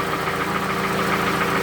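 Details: Toyota Camry, 2AZ gasoline engine, 220,657 km, smoke from under the valve cover rather than the exhaust: steady idle with a hard, even internal knock. Balancer shafts mentioned as possible; engine to be disassembled to find the cause.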